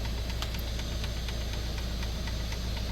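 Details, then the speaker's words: 3D printer printing ham radio X6100 protection rails: sharp ticks about three per second over a steady hum, a recurring knock that returned after play was tightened earlier; printer has also had layer shifts; source unconfirmed. "it's doing this noise again and originally there was some play in here and they tightened it up but now I hear it again"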